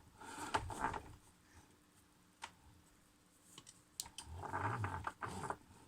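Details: Logitech G920 force-feedback wheel making gritty grinding and rattling knocks with sharp clicks when turned right; felt through the wheel and seems to be getting worse.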